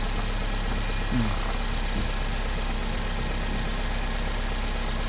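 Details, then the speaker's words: Nissan Livina four-cylinder after replacing a weak spark plug that caused misfiring (scanner showed no coil or injector fault): steady, even low idle with no missed beats, smooth hum; now quiet, unlike the rough running before. "Pero yung under nyo po, tahimik na, hindi katulad kanina na makalya."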